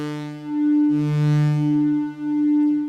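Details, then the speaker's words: Yamaha CS-40M vintage synth that suddenly developed a fault: held notes alternate, every other one thinner and buzzier as if a different waveform, with identical VCO setups and the VCF fully open with no resonance. "other note sounds like it's a different waveform, or the filter cutoff is on, or something's odd."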